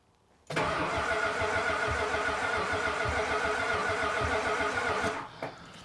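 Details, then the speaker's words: 1975 Chrysler by Chrysler with 360 V8, long sitting, first crank with no fuel reaching it yet: starter spins the engine about five seconds with a slightly lopsided galloping beat, some strokes heavier than others; uneven cranking compression suspected, not confirmed. "Sounds like it's got a little bit of a gallop to it. I might just keep cranking on that for a bit."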